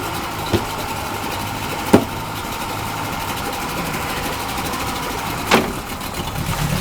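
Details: Yamaha 40 HP two-stroke Precision Blend outboard with oil injection, tested in a tank after carb cleaning with a damaged prop roughly straightened. Steady even buzz, light shift clunks, no misfire, running smoothly in gear; reverse fairly smooth, prop is shot.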